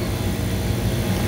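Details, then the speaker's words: Walk-in freezer refrigeration rack compressor, down three days, now reset and running in Southern California after a weekend of about 110°F heat; the wet condenser's water flow had been shut off. A constant low hum with no knocking or surging, running normally. "So everything's running. The compressor's reset."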